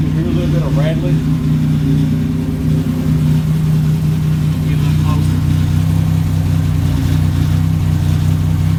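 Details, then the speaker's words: At cold idle after a cold start: deep heavy rumble, louder and boomier than normal; whole exhaust system hanging low and loose, owner will replace it. "his whole exhaust system yeah see how low that is I'm have to replace it"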